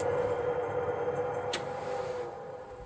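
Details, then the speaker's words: Swegon Casa W80 heat-recovery ventilation unit, only the cleaned fan motor running after removing dirt from its impeller blades: soft, steady hum gently fading at switch-on, no scraping, rattle or wobble; expected to settle with time. "да при включении есть немного гудения да это со временем пройдёт на мой взгляд очень достойно"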